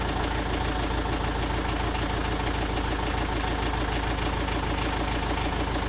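A steady idle carries an even, repeating knock at about three per second; it is a clear engine knock, but the cause is not known.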